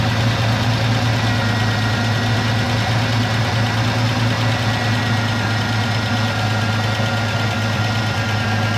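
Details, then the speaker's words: 1984 Ford F-150 left in the woods since 2008, first start in ten years on old treated pre-ethanol gas and a battery: steady even idle, low smooth rumble, no knocks or misses, running on its own. "F-150, been sitting down here 10 years. Running under her own power."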